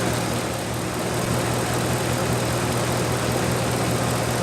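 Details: 1997 Dodge Dakota 5.2L V8 2WD idling after water pump replacement and a petcock o-ring fix, warming up while waiting for the thermostat to open; an even low idle with no knocks, ticks or squeals; a normal idle.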